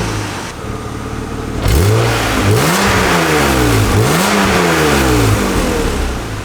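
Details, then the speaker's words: 1997 BMW E36 M3 sedan, stock exhaust, revved in place: raspy tinny exhaust with puffing leak near the cats and loose heat shield rattle, worst under the driver's side; before muffler swap and leak repair. "It sounds awful right now, especially underneath the driver's side of the car here. You can hear that lovely, lovely heat shield rattle and exhaust leak, so we're going to take care of that."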